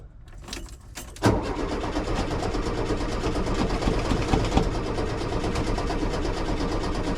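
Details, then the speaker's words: 1973 VW Super Beetle that ran badly then stopped, fresh fuel added, battery good: steady strong starter churn about three turns a second, but it never catches. Cranks without starting; cause unconfirmed. "well the battery's good H well the issue is not the battery clearly but uh something's not quite catching"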